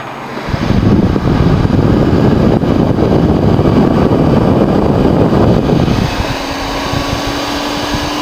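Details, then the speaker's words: Dell GX280 desktop that won't work: power light stays orange and it never POSTs; the cooling fan gives a loud, steady, jet-like rushing roar at full speed that never changes, with no drive or boot sounds following. "stayed orange and yeah so so this one sounds like a jet as well imagine having this Dell and that Dell over there both running oh it would be so loud in here holy crap"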